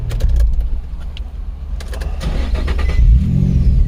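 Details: 2004 Nissan 350z 3.5 manual, earlier cranked but wouldn't start (suspected immobilizer): brief cranking, then catches within seconds and settles into a low, steady idle; starts normally, with an evap pressure sensor code remaining.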